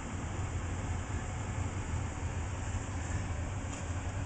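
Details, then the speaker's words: Four-year-old home HVAC air handler with TXV in the attic, after a supply duct tee-wye popped apart: soft constant low whoosh and hum with no rattles, squeals or scraping; blower running quiet and healthy. "ok before i put this i close this back up here to get a little listen yeah it's a quiet air handler sounds like"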